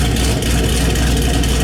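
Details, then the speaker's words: Nickey Stage 2 Camaro ZL1 (Stage 1 cam, 2" headers, cold air intake, pulleys, 160 thermostat, 93 octane), warming up in chilly shop: deep, loud, even idle about 750–775 rpm with steady low chop; normal lopey idle. "So yeah, this camshaft idles 750, 775 is about where I set them."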